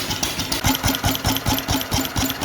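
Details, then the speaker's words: IH LB 3–5 hp single-cylinder engine driving a sorghum press, hard to start (owner suspects weak magneto, needed new plug); even, regular firing beat with no misses or knocks, running cleanly. "I don't know all I know is it's running I might cut it off here in a little bit try it again but I'm going to let it run right"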